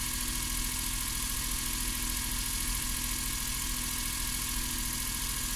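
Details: Suzuki Every 62V kei van left unused about 4 months, started on its own winter battery without the jump starter despite low voltage: steady, even idle with smooth low beat, no knocks or misses; running normally.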